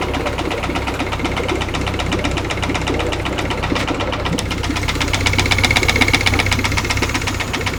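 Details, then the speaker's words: Nearly new Yamaha F70A outboard, started after a full-speed reverse shift, run without the lower unit and with an oil pressure gauge fitted: sharp regular knock about four per second at idle; the gearcase held emulsion, its shaft binds and a nut was found loose. "Такая работа мотора. Исходит какой-то непонятный стук из двигателя Запуск без редуктора."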